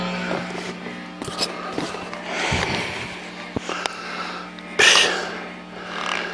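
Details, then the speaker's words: Fender Bassbreaker 15 tube amp switched to the medium gain structure: a steady low hum with loud hiss, much noisier than on low gain, showing heavy mains hum. "Man, that's Noise City. Sad."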